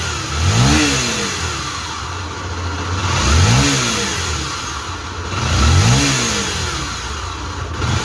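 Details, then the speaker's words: Honda XRE/CB 300 single-cylinder engine, not the cylinder head, blipped three times: droning hum under each rev from a worn crankshaft main bearing on the magneto/flywheel side, a chronic defect on these bikes. "Esse barulho galera ele é um defeitinho crônico tá dando nessas motos no rolamento do virabrequim desse lado aqui"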